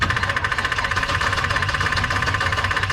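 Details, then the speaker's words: 1984 Chevy truck with 454 and HEI distributor, sat two years: starter cranks the engine at a steady even beat but it never fires; test light shows no spark though the coil tested good. "go ahead crank it nope no nothing all right the coil was good"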